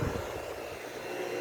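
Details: Vitalex blender after its motor was re-centered (rotor aligned in stator using tie rods) to cure noise and tripping: even motor hum at steady pitch, no rubbing or scraping; normal running.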